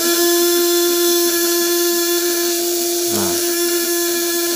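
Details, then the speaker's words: 1.5 kg vibrator-contact (platina) shocker tested at 12 V with 200–1000 W load: loud steady buzz with fixed tone and faint flutter; run without upper setting, vibration wild and output dim. "Cup tanpa settingan atasnya redup Kalau settingan atas hitam Mainkan ini tanpa settingan atas getarannya masih liar"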